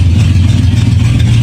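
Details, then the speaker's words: 1979 Lincoln V8 just after an oil change, old stale gas run through, air cleaner refitted, started in garage; deep, even idle with steady low throb, no misses or knocks; hardly smoky anymore, running smoothly. "hardly that smokey anymore"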